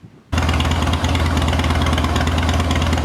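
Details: 2011 Harley-Davidson Heritage Softail after replacing faulty fuel pump (short priming): catches instantly, steady even V-twin lope, no misses or mechanical noise; normal running.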